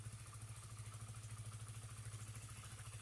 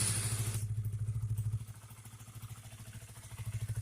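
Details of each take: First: Honda CBR after repair of stalling and hesitation (spark plug cap and fuel pump/filter area cleaned, fuel pressure steady at 40 psi): steady even low putter at idle with no stumbles, now running normally. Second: Honda CBR single-cylinder that cuts out while riding and won't accelerate: stumbles and chuffs unevenly at idle, nearly dies; misfire traced to a very dirty, wet, leaking spark plug cap that needs replacing.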